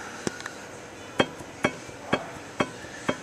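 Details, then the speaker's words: 1962 Jaguar MKII inspection: sharp metallic clunks as rear wheel is rocked by hand; rear wheel bearing play on both sides, likely causing axle seal leaks and letting brake rotors touch calipers. "that's actually playing the the the bearing itself for the wheel exists on both sides um the axle seals are leak likely as a result of that bearing play Both Sides"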